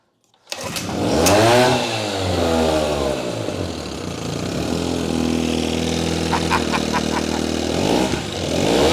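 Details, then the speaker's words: Old Evinrude 6 hp Fisherman outboard pulled from a barn and revived, running in a hot garage: fires straight up, revs cleanly, then holds an even buzzing idle with no misses; shifts into gear fine; runs normally. "I am so so excited to get this out in the water, guys. Runs like a top. Runs like a top."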